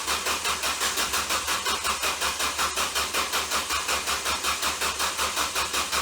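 Slow, even cranking at under three compression beats a second that never catches; a weak, shorting starter is dragging the engine over.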